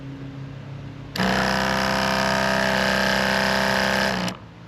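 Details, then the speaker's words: Sprayers Plus 105EX backpack sprayer after pump replacement and retightening of the hose fitting; steady, even electric hum with a light regular buzz, then a clean cutoff, no leaks, pump healthy. "I don't see any leaks. I think we're in good shape."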